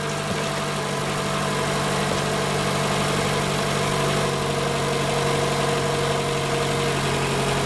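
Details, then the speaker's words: 2018 Toyota RAV4 idling after an oil change in which the plastic oil filter housing broke when its locking tab was not freed: smooth, even idle with no knocks, ticks or misses. It runs fine, and no leaks are found underneath. "it sounds like it's running oh let me crawl under and see if anything's weak in here"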